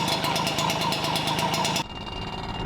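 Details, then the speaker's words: Yamaha QT50 two-stroke moped with new performance exhaust, idling: loud, raspy idle with quick, even popping, steady; sounds healthy, just noisier than stock. "It's a lot louder and pinkier but it sounds good"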